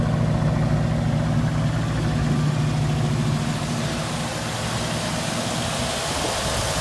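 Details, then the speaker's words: 1968 Mustang that sat for years, now with a new battery and fuel pump, a swapped carburettor, and fuel from an auxiliary tank, in about 25–30°F cold: steady, even low idle with a smooth deep rumble and no misses; it runs cleanly. "Right now I'm just running on an ox tank. I had another one of these carburetors sitting on a shelf, so I grabbed that, threw that on there."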